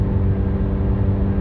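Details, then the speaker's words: 2010 Kia Soul, 240,986 km, driving: loud, deep, steady exhaust rumble, rougher than a sealed system; exhaust leak. "just a terrible noise isn't it oh it's killing me"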